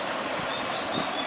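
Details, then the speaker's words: Evaporative air cooler after a fan bushing repair with hot glue, reassembled with water added: smooth, steady airflow hiss, and the pump is working normally with no squeak or rattle; finding: normal fan operation. "โอเคปั้มปั้มทำงานปกตินะครับเสียงอาจจะเบาเข้านะตอนนี้"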